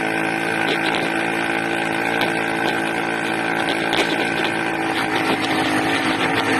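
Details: 80cc two-stroke engine. A loud, buzzy drone with a ragged, uneven beat, running erratically; the owner suspects a carburetor intake manifold leak.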